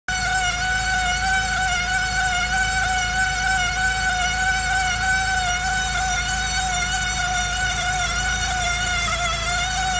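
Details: 2002 Saab 9-5 Aero: a steady, high-pitched squeal rings continuously from the right front over the car's running noise.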